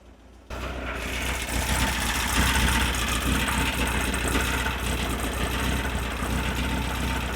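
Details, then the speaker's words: Engine with dual Weber IDF carbs after synchronizing and adjusting mixture screws (set 1.5 turns), starting with cylinder one: catches and settles into fairly even idle, steadier as it runs; now running far more consistently. "I don't know if it comes across on my mic very well so I hope you heard it but it's running way more consistently"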